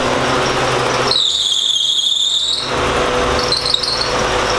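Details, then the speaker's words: Porsche 944 after engine swap, running after gasket fix: steady high squeal near 4 kHz over the engine, fading and returning; owner unsure whether it's a belt or fan bearing. "sure if that's a belt or maybe the fan bear"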